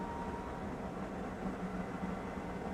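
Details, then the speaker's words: Maytag Neptune washing machine after a circuit board relay repair and a new door lock wax motor: a steady, even rushing hum and low drone with no knocking or scraping; normal high-speed final spin. "that is music to my ears if she's flying now no I guess it doesn't other high speed spin here it goes you can hear the jet engine taking off"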